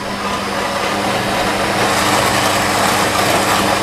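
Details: New Nivona 690 coffee machine with factory defect dumping ground coffee into the tray, strength 3, pulse pump mode: steady harsh grinder whir about four seconds, then the cycle cancels because there were not enough beans.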